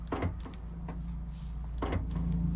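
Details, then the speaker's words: Toyota Sienna power back door that won't open or close: a low electric buzz from the latch area at each press, but the latch never releases. The latch sensor, switch or lock mechanism is suspected. "there's a sensor you can hear the noise you can hear the buzzing noise"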